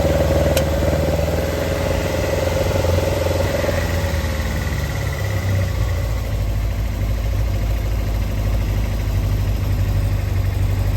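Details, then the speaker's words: Engine with Arduino VVT controller idling below the 1500 rpm threshold: plugging in the VVT switches it on, giving a slightly uneven, lumpy idle; cause was two wires reversed on the MOSFET, fixed afterward. Rough idle from VVT engaged at idle. "As soon as I plug the VVT in, even with it ticking over below the threshold, which is 1500, as soon as I plug it in, that's turning the VVT on. You can hear it."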